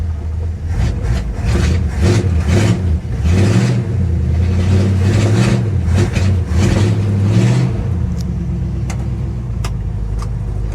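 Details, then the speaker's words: 1959 Dodge Coronet started after a motor flush, fresh oil and Lucas oil stabilizer, with no fuel filter fitted: fires right up, rises through a few revs and settles to an even, steady idle with no knocking; runs well. "she fired right up and she runs so damn good like this car man"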